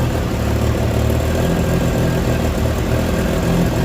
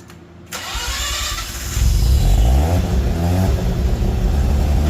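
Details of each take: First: Mazda RX8 with 13B REW turbo swap and oval exhaust tubing: idle with a deep, hollow drone that sounds like a leak, but smoke testing and a hose check found no leak; it is resonance, and the car is under the noise limit. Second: Mazda RX8 with 13B REW turbo swap, retested after failing an engineering noise inspection, now on a 3-inch exhaust (about 2.5 originally) with the owner's original mufflers: starts and revs to a deep, smooth, muted drone; meter reads 90.2 against a 90 limit.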